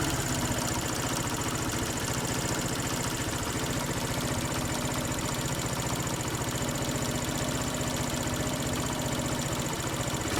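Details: SYM XS125 motorcycle at idle: busy idle with a fast, uneven tapping knock at about four beats a second; owner says it is definitely not the valves or the chain, cause not yet found.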